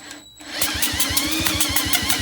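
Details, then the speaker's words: Lawn-Boy mower, cranked with spark plug out and no oil added to the cylinder, finger over plug hole: sharp regular puffs about five a second, pulling in then blowing out with pressure; strong, even cranking compression, enough to run. "If you feel it pull in, suck in, and then blow out with pressure, then you can be pretty sure that it's going to do a fair job."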